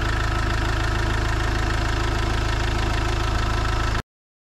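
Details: Iveco Daily diesel van (being converted to a motorhome) idling around its engine oil, oil filter and diesel filter change: low, even clatter at a steady idle with a regular beat and no odd knocks; a healthy idle.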